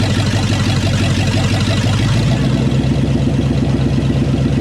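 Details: Chevrolet C2500 350 TBI V8, first start after rebuild, stock except roller cam: loud, deep, even rumble with steady low lope and no knocks or ticks, settling into a smooth idle.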